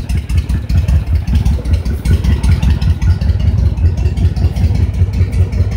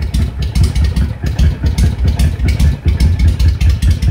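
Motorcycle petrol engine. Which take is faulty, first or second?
second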